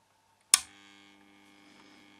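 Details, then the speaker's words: 13.8 V power supply, rectifier diodes disconnected, no load, just switched on: click then steady loud buzzing mains hum; transformer extremely noisy, possibly loose, gets quieter when touched. "Oh man, the transformer, as you can hear, is extremely noisy. Maybe it's loose. If you touch it, it gets quieter."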